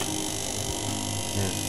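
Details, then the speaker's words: Electric water pump with a leaking seal, plugged in: gritty uneven buzz over the motor hum; it spins freely, not dragging, but sounds rough. "kita cek putarannya dia tidak boleh seret Tuhannya lancar cuman ada suara-suara yang tidak enak ya"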